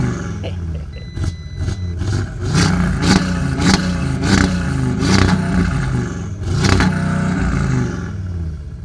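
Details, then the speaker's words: Audi RS3 five-cylinder, cold engine: repeated revs climbing then cutting hard at the same point, about 4000 rpm; cold soft rev limiter engaging. "Now obviously we have the classical Audi soft limiter, which is really a shame because sports cars such as this, soft limiter, I don't think it should have one."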